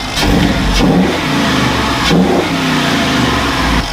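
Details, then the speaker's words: FJ45 rock crawler engine revved after fitting a part meant to change the intake suck noise: a smooth, even note with no harsh intake suck on top. It is way quieter now: normal running. "see how it changed the suck noise it should change that [Music] way quieter"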